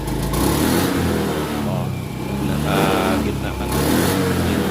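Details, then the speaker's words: Honda Beat FI scooter engine misfiring when revved: it sags and stumbles around mid, half throttle, then picks up again at full throttle. "on the beit ifi palyado andarin natin yan para ma marinig yung ano palya nawawala Nawawala yung pag nas gitang throttle ka nawawala"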